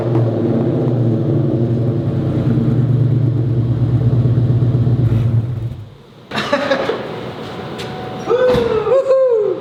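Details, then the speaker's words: SVT Terminator Cobra V8 with newly installed wrapped aftermarket headers on the existing Triple S exhaust: deep, full rumble swelling and dropping with each throttle blip, no misses or knocks; tone deepened and a little louder, new exhaust system still to come. "But yeah, it definitely deepened the tone of the current exhaust, the Triple S exhaust system. It did get a little louder, but once we put the new exhaust system, I'm pretty sure we're gonna see a drastic improvement in how loud it gets."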